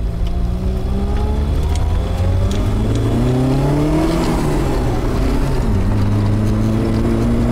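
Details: Ford Laser turbo under load: the engine pulls hard, revs rise and fall, and the exhaust is strong and deep; boost hits 10 psi instead of 7 psi, it still runs rich, and a vacuum hose later blew off the manifold.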